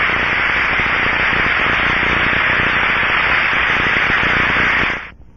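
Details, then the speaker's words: Ultraprobe 2000 ultrasound headphone sound of a bearing: smooth, even rushing hiss with no crackle or clicks, a good healthy bearing. "for example this is the Russian sound of a good bearing is heard through the ultra probes headphone"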